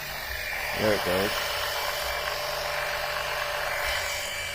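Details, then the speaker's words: Electric oil extractor pulling Mercedes engine oil from the oil pan via a tube, first run: steady even electric whir with rushing suction hiss, no surging or rattles; pump running normally. "there's so much suction it's sucking this cube in flat look at that boy it's really sucking"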